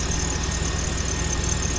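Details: 2006 Lexus GX470 V8, 146,000 miles, rusted with bad transmission, slight belt squeak noted: low even rumble at steady idle with no knocks or misfires; engine runs really nice.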